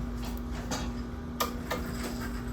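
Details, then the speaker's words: UV-Vis spectrometer with the cuvette inside, running Collect Reference: a single soft, sharp click over a quiet hum as the reference reading completes; the instrument is working normally. "You should hear one click and it's done, all right?"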